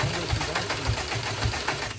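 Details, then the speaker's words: Bugeye with rewired starter solenoids on custom tune: starter churns with even low thumps about twice a second, engine never fires, one loud backfire; cranks but won't start, tune swapped to base map next. "as you guys can see, it's cranking. It backfired really loud."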